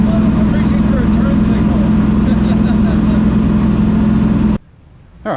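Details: Ford Thunderbird NASCAR stock car (Hooters) on test drive after reinstalling the starter and tightening the headers: heavy even V8 drone under load for four seconds before cutting out, firing regular and strong; runs great, plenty of power.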